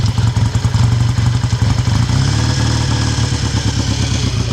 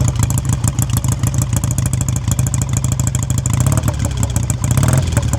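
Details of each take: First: 1959 BSA A7 Shooting Star 500cc twin just kick-started from cold with choke on: fast, even firing well above normal idle as a sticky throttle holds the revs up. High idle from sticking throttle. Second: 1959 BSA A7 Shooting Star 500cc twin, just kicked into life from cold on choke, heard by the exhaust: steady, even beat at a slightly fast idle with a couple of small blips, running cleanly.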